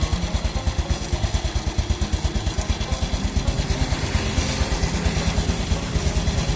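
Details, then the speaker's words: Motorcycle single-cylinder engine warming up at idle just after changing the old blackened oil to Shell Advanced AX7 10W-40 synthetic-based: even low pulses about three a second, no rattles; smoother than the slightly rough sound before. Normal idle. "mengaku sementara bunyinya juga jadi lebih halus karena ukurannya tentunya sama"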